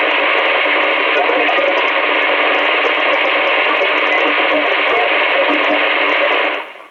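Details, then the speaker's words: Albrecht AE6491 NRC CB radio on AM, channel 29, no signal, through an external speaker, with NRC on: a constant harsh, buzzy hiss like digital breakthrough that cuts off abruptly; interference noise. "And again we have the noise. It's like a digital breakthrough noise, if you can hear. I don't know if you can hear it, but it's like digital breakthrough."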